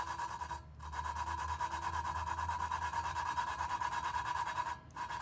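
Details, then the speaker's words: Lapping valves by hand in a Toyota 2JZ VVTi head (for an RX8 swap) with a suction lapping tool and compound: rhythmic back-and-forth rasp at about three strokes a second, coarse grind before the pitch change that shows the seat mating. "you want to make sure you hear that that sound the pitch change and then you're gonna lift over the valve and turn it 90 degrees and keep going"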